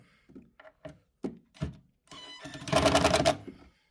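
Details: Rockville RBG18FA subwoofer bought used, buzzy rapid rattle over low bass pulses even at low volume, caused by loose, possibly stripped driver mounting screws.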